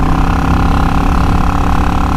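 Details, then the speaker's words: Yamaha XVS650 V-Star 650 V-twin ridden after a #20 to 22.5 pilot jet swap that cured earlier exhaust chuffing at zero throttle downhill: a deep, steady rumble under way, smooth and even with no popping or backfire. Running properly. "We ripped off the tank and we took out the stock 20 pilot and we put in a 22.5 and it sounds perfect."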